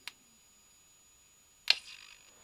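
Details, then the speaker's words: Victron Atlas Combi 12V/800W charger/inverter transformer primary under high-voltage insulation test: two sharp snaps with brief crackle, flashovers to ground from defective transformer insulation; unit deemed beyond repair. "see that sounds bad the clicking noises we can hear is actually flashovers to ground so i think we have a defective insulation inside this transformer"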